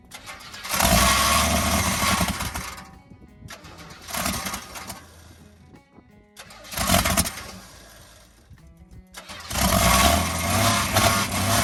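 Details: Inline-six with TH350 swapped into a 1967 Chevy C10, carburetor self-rebuilt after major problems, engine rebuilt 30 years ago: surges up and drops every few seconds instead of a steady idle; rough uneven running, torque converter possibly rubbing inspection plate; windy audio.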